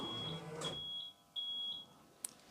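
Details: Rolls-Royce Silver Spirit III alarm: three short, high, clear chirps in a quiet cabin after locking, confirming the alarm is fully armed.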